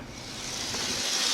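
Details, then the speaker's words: Bachmann HO-scale Canadian diesel, chassis without body after servicing, pickup improved: thin, rising buzzy hiss growing louder as it approaches; noisy old motor that occasionally derails, judged about as good as it can get. "well this is about as good as I can do with this one I've had it with it it's a bit noisy it occasionally derails"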